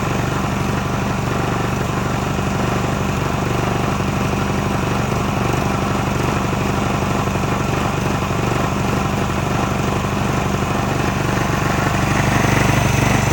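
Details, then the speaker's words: Subaru pressure washer engine with pump and hose attached, previously would not pull over: steady even drone at constant speed, no misses or surging. Engine and pump both good. "Is the engine good? The pump is also good."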